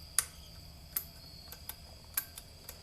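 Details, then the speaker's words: R80-z relay with repeated button presses: sharp, irregular clicks two or three a second as the relay chatters without pulling in, until it eventually works. Owner suspects the actuator lever or spring. "if you keep just keep pushing the button you can hear the relay clicking and then after a while it finally so-called kicks some sense into it and actually works"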